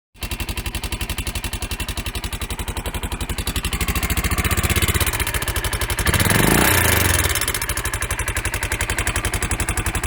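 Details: Honda XR650L single-cylinder idling with a sharp, steady tick about four a second from a loose valve seat.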